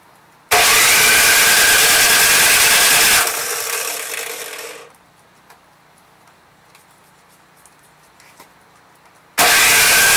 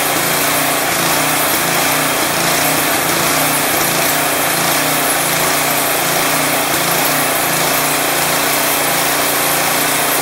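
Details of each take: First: Craftsman 179cc Powermore engine on a 22-inch snowblower, primed, electric starter whirring in two bursts but not catching; old fuel found bad and replaced with fresh gas. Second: Craftsman 22-inch snowblower with 179cc Powermore single-cylinder engine, previously surging and smoky, now off choke after Seafoam added: idles smoothly and evenly with no surging or hunting, only a very subtle slight irregularity.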